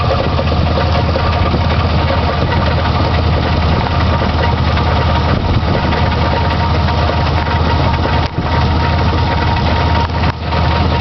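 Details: Chevy S10 4.3 V6 at idle: fast metallic rattle from near the crank over a low rumble, started about a week ago; owner suspects the crankshaft or timing chain.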